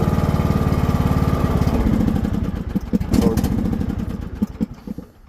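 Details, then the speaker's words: John Deere LA100 series riding mower, started on full choke at low throttle: thumps steadily, then turns ragged, surges and sputters as it fades out; idle jet appears fine but the larger main jet in the carburetor is clogged. "Dr a the Jets car clogged up so here is low low throttle start it up and see starts up so it looks like the idle Jet is cool in the car but the full the biger J"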